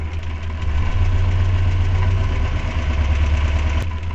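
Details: Renault 4L with a Cléon 1108 cc engine, testing a Grand Laurent ignition module: a low, lumpy idle with an uneven beat and a dropped pulse. One cylinder isn't firing while its plug is grounded.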